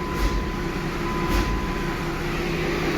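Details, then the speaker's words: Truck with a 12-valve engine and VGT turbo, first fire-up after fitting a functioning exhaust brake and three fuel filters: a steady, heavy rushing roar over a deep diesel drone; the exhaust brake is working normally. "fully working exhaust break now we have three fuel filters on this truck"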